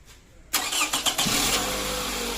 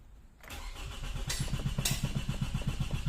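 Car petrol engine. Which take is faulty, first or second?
second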